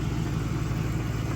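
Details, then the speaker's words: 1998 Mercury Grand Marquis V8 after exhaust leak repair with JB Weld: smooth, steady low idle with even pulse and no exhaust ticking or hiss; quiet, leak fixed. "hey but it's quiet as [ __ ] because like see this [ __ ] works"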